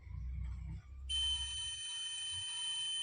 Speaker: या देखिए उल्टा लगाने पर इसमें बीप की आवाज़ आ रही है और इसमें कुछ मान दिख रहा है।